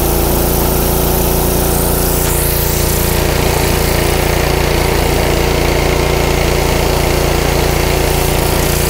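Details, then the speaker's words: Honda GC160 5 hp pressure washer engine, filter and spark plug already replaced: speed rises and falls on a steady cycle, hunting; surging clears with some choke; clogged carburetor. "now i'm going to cut in a scene from me using it so you can see what's going on you'll see it's surging i put a little choke on it clears right up but you don't really want to run it like that obviously"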